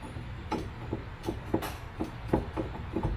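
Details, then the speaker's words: Car rear axle/differential: irregular heavy clunks, one or two a second; something loose inside, with visible play at the pinion. Owner's theory involves the driveshaft; cause not confirmed. "there's a issue with the rear end of this car that we kind of found out I think I mentioned it earlier but you hear that"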